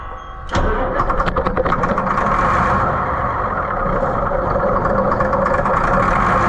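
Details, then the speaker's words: White 4-150 tractor, Caterpillar 3208 V-8 diesel, throttle wide open, cranking on ether; ragged churn never fires and no smoke, so owner concludes it's not getting fuel. Crank, no start. "and that is it will it's not getting fuel. It should have been smoking. Things should have been happening and they just aren't."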